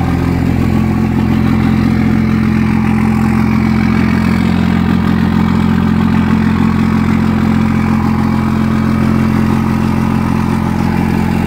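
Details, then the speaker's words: Second-gen Cummins 24-valve diesel with VP44 after lowering fuel pressure, securing the grid heater, cleaning grounds, newish batteries; cold start still rough with smoke, loping clatter about three beats a second; owner suspects the VP44 is going bad. "So it still started rough, guys, which sucks."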